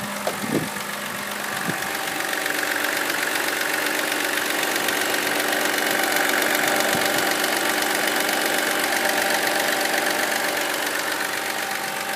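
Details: BMW X3 E83, 2007, N52 2.5 L engine: steady idle with a light, regular tapping about two to three times a second over the running engine; engine knock at idle, cause unclear.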